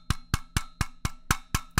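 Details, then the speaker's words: Knockoff Clapper sound-activated switch being shaken: sharp plastic clacks about four per second, loose parts rattling inside a flimsy, cheap plastic case that seems to be separating; cause suspected, not confirmed. "i mean it's like you can hear it like rattling kind of yeah this is terrible that is a really cheap plastic"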